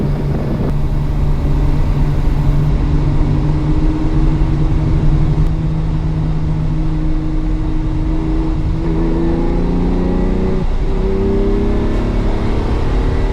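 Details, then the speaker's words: Ferrari 365 GT 2+2 after a fuel-starvation and vapor lock fix involving the electric fuel pump, hot and up to temperature at idle with the puller fan running: even idle and clean throttle blips without stumbling, all three carburetors fueled. "so if it's going to stall like we have to see and it's still pretty reactive that means all three carburetors have fuel in them"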